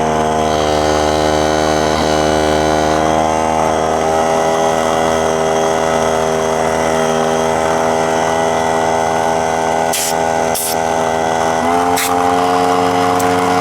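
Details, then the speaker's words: Central Pneumatic 95275 oil-less 3-gallon 100 PSI pancake compressor running: steady motor drone that suddenly shifts tone near the end as the head O-ring blows out and is burned up and destroyed; head gaskets later ordered. "not sure what happened there the the tone of the thing changed I'm wondering if that O-ring blue just then oh yeah it's destroyed it's already destroyed look okay so it basically burned it up and destroyed it"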